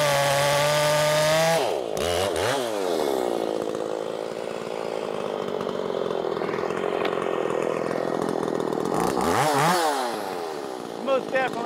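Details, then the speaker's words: Makita 5600 (Dolmar-built) chainsaw with freshly sharpened chain (rakers possibly filed too low): revs high, steady strong drone through the cut without bogging, picks up cleanly after; cutting much nicer than the dull chain. "cutting a lot nicer now let's see the RPMs in the cut make sure we get it all squared away"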